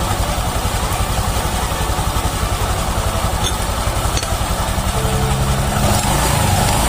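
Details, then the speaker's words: Honda Vario 150 LED (K56) scooter CVT after repair and reassembly, microphone held close to the drive at steady idle: even, smooth pulse with no grinding or rattle. The earlier roughness is gone and the CVT runs normally. "Oke, di sini sudah sangat halus, sudah enak seperti semula."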